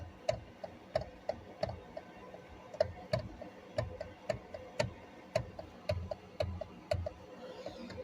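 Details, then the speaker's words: 2007-2015 Hyundai Elantra/Sonata, key on, engine off, steering wheel turned: sharp dry clicks about twice a second from a worn flexible steering shaft coupler, not the U-joints. "But most of the time what it is when you hear this clicking noise."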